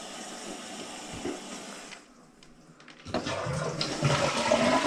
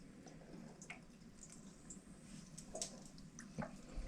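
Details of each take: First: Toilet test: strong rush of water as the bowl empties, then a steady hissing refill that settles. Flushes and refills normally. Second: Toilet keeps running after flush: faint steady trickle with scattered drips as water keeps moving into the tank and bubbles keep rising; flapper looks in good condition, plumber suspects a faulty fill valve and recommends replacing fill valve and flapper.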